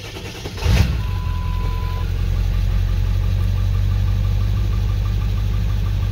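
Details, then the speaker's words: 7.3 truck with 153,000 miles and straight-pipe exhaust, A/C off, started after a quick wait-to-start light: short crank catches at once into a steady, even, deep-rumbling idle with no knocks or misses; normal start and idle. "runs great, a little bit quieter, as you can tell, but this truck's straight pipe, so it's kind of weird."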